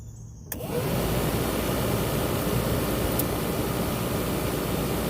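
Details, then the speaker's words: Squarebody truck heater blower after replacing the noisy old blower motor with a new one: spins up quickly to a steady smooth whoosh with no rattle or scraping; works normally. "that thing works pretty pretty good it didn't make all that noise"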